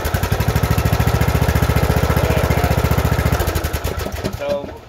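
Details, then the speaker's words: Briggs & Stratton single-cylinder engine after valve lash adjustment, cold, no choke: started easily, steady even low thump at idle with no pops or kickback before winding down; running properly. "started really easy no bang bang click click pow pow all that kind of crap that's no choke on the engine whatsoever sitting at idle the engine is not warm"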